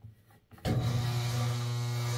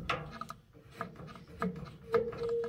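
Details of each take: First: Late-1960s Hoover washing machine from an abandoned farmhouse, knob turned to run the motor: loud steady low hum that holds without speeding up, motor energised but not turning; owner suspects it is stuck and tries spinning it by hand to free it. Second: Late-1960s Hoover washing machine from an abandoned farmhouse, just plugged in, controls turned: quiet clicks and rubbing with light ratcheting as the mechanically shaft-driven drain valve turns; drain valve operates normally.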